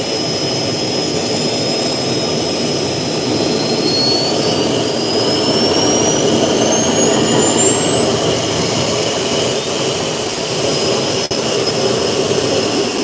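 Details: First-ever run-up of the twin turbine engines in a giant RC F-14 jet: a smooth roar with a clean whistle climbing steadily in pitch as they spool up. Temperatures and acceleration were good and auto restart worked. Normal turbine run-up.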